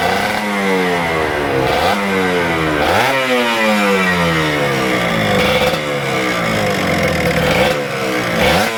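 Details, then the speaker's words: Kawasaki Ninja RR 150 two-stroke: revs surge unevenly with a rough, spluttering note, heavy pull, slow drop-back and the throttle hanging; a sticking Super KIPS power valve. "jadi kendala motor ini tarikannya berat dan motor itu brebet suaranya juga gak enak ya"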